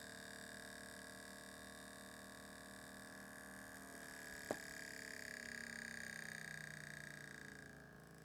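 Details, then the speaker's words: PlayStation 1 disc drive spindle motor, run on bench supply at 3 volts with disc: thin whir with scratchy high squeal and a sharp tick; rubbing, owner unsure whether internal to motor or hub pushed down rubbing on hidden screws. "so I'm not sure if it's an issue internal to the motor or if it's just that this Hub has been pushed down a bit too much um sometimes these things will get pushed in and then they'll rub on those little screws that are hidden underneath"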